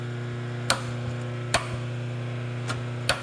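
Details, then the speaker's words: Rosback 250C/318 three-knife trimmer slip clutch turned by hand for positioning: crisp single clicks about every second over a steady electrical hum as it stops at set marks. It indexes cleanly with no grinding; normal slip-clutch indexing. "see how it stops at certain marks what happens is if you have a jam up right here with a bunch of books instead of this being a fixed chain and the chain just keeps driving and grinding all the paper these will just sit there and go click click click click click click click and it'll slip"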